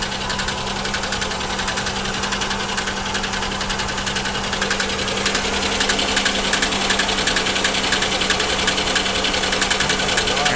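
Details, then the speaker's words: 3.4/3.1 V6 car bought at auction, felt misfire: quick, fairly even ticking about 3.5 per second at idle from the top end; lifters suspected, blown lower plenum gasket and water in oil suspected; ticking at idle. "actually that does sound like lifters that almost sounds like this car maybe has the uh blown lower plenum gasket which these 3400s 3100s are absolutely known for"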